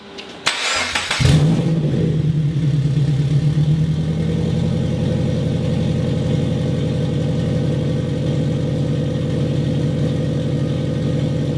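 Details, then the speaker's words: Custom turbo FR-S, already warm, after fixing an exhaust leak at an unsealed pipe gasket: catches, is blipped a few times, then settles to a smooth steady idle with no ticking or puffing; normal running after repair. "all right so we fixed a little bit of an issue that we had um fire it up again rev it up a little"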